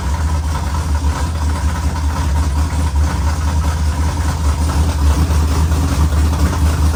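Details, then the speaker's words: LS-swapped 4x4 Cadillac burnout car after swapping two backwards-plugged coil wires: deep, even V8 rumble at steady idle with no misses, ticks or knocks; runs smoothly, though alternator not charging and transmission crossmember bolts not yet installed. "yeah it does it sounds really really nice love to see you can't ask for much more than that"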